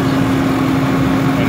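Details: 2003 Lincoln Navigator: loud steady hum from air intake over engine idling fast, idle going up and down; bad idle air control valve, replacement stopped the hum.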